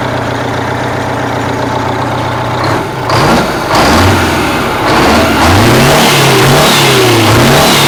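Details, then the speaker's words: Abandoned 1984 Freightliner cabover with a Detroit Diesel being revived, with return fuel routed into a jug: an even diesel idle, then several clean throttle blips rising and falling smoothly without stumbling, so it is running strong. "but man this thing sure runs good doesn't it"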